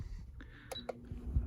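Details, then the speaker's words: Woozoo table fan: short, sharp, high-pitched piezo chirp each time a speed button is touched; normal button beep, no fan fault, which the owner finds annoying and wants to muffle or silence. "as you can hear every time you touch a speed you hear that beep"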